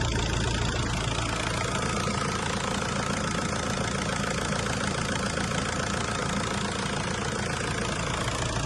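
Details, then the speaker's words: 2001-2005 VW 1.9 TDI PD diesel idling after coolant temperature sensor replacement and coolant refill, heater on hot for bleeding, recorded with a wireless mic; steady even tractor-like clatter, constant low rumble, no misses or extra knocks; normal diesel idle. "As you know, a PD engine sounds like a tractor, and I feel like this is so strange."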